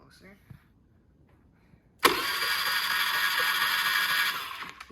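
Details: Honda Navi scooter, abused and allegedly run through water, that cranks but never fires: a couple of seconds of starter whirring with no firing; spark present, dirty carburettor suspected; fixed by replacing it with a 19mm Nibbi carb.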